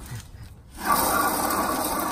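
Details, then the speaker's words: 2008 Chevy Express van front hub bearing, turned by hand on the vehicle after brake cleaner and WD-40: rough, gritty rasping scrape throughout the rotation. Worn wheel bearing grinding that caused the ABS light; the bearing is being replaced. "That sounds awful, so you can imagine how the van sounds in the inside, and of course, hence the ABS light."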